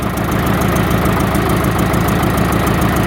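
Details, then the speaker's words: 1945 IH TD9 diesel crawler after rebuilding and timing Bosch APE4A injection pump: deep, steady chug about two beats a second, even with no misses; idles cleanly and healthy, runs better. "all right so it runs got it on diesel i just gotta take it for a test drive see if it's got any more power than it did before"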